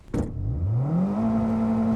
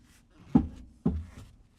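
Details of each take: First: 2007 Toyota Corolla on E85 after front-end repair (CV axle refitted, engine mount tightened): revs rise and fall in neutral, then neutral drop into gear with only a light thump, zero pops; front end solid. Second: 2007 Toyota Corolla, clunking since purchase, wheel turned by hand on lift: two dull clunks half a second apart, linkage jumps each turn; owner believes the sway bar end link, CV axle feared, not confirmed.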